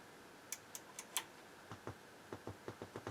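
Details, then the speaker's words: NAD 2140 stereo power amp on the bench, about 450–500 mV DC measured on one output and 180 mV on the other; sharp speaker-switch clicks carry a dull low thump through the speakers, indicating DC offset on the outputs. "hear there's a DC component when you click the speak your switch that's not good"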